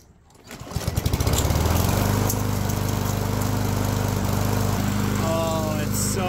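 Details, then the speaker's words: Yard Machines push mower after carburetor repair, fresh oil change, about 65°F sunny: sputters briefly on the pull, then catches into a steady even beat with no misses; ran about four minutes and runs great. "I gotta tell you this thing runs like a top spitting sputtered a little bit at the start then we got some gas circulating and I'll tell you what it runs great"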